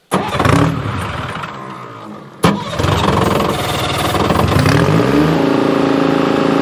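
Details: Bantam C350 crawler crane's Detroit Diesel (believed 3-53) two-stroke, parked about 20 years, refuelled: cranks, catches with a bark, settles into steady even drone holding under hoist load lifting the boom; engine healthy.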